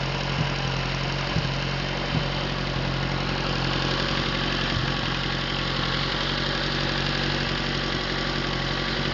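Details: Atomic 4 inboard engine overhauled last summer (new pistons, rings, valve springs, plugs, wires, higher-flow water pump), run without choke on a test stand for a 17-foot homemade wooden boat, alternator off: even idle, steady low hum, a few faint ticks; normal idle.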